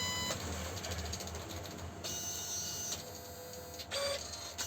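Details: Epson PLQ-20 dot matrix printer after repair, testing: rapid buzzing print-head passes with short carriage pauses and a clean rhythm; normal printing.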